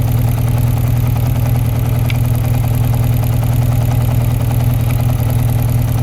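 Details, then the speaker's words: 1992 Yamaha XJ600 Seca II motorcycle, newly rebuilt carbs: lumpy, uneven idle with a loping beat about twice a second, one cylinder sounding dead; misfire on cylinder two, which sparks but has a caked-up plug, suspected weak spark, not confirmed. "The uh the plug onto is all caked up. So, I may have just a really really weak spark."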